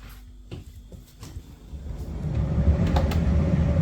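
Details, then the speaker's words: Electrolux PerfectCare 800 EW8H458BP tumble dryer, six years old, after replacing worn drum rollers that made the drum lose its axis: a few clicks, then smooth even low hum, no knocking, wobble or rocking. "nastąpiła cisza przestała się bujać bo ona się bujała lekko przez to że przez te wytarte rolki zniszczone bęb tracił oś Nie ma hałasu prac"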